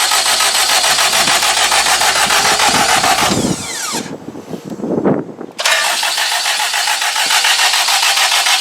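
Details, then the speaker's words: K20-swapped Honda EK hatch, cranked with parts unplugged so it won't start, to prime oil until the oil light goes off: steady fast starter churn with a brief pause, never catching; oil pressure slowly building. "just keep going it's probably just really trying to uh get the oil running through it right now"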